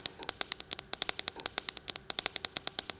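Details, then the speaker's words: Everlast Power i-MIG 315 with CO2 gas and 0.030 ER70S-6 wire on flat carbon steel plate, at 18.0 V: uneven, sparse popping with the wire balling up, stacking and not fusing in. Wire feed speed is too low. "all right just by listening to that and see that wire balling up too saying i need more wire phase speed"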